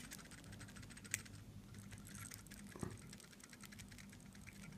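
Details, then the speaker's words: Seiko SNK809 automatic watch (7S26 movement): loose, irregular clicking and tapping as the rotor wobbles in the case because its center screw is not fully tightened; loose rotor rattle. "you hear this is the sound of the part which is not sitting appropriate inside of the mechanism can you hear this"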